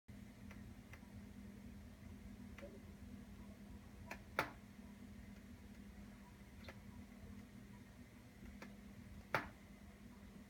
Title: Skylight making popping sounds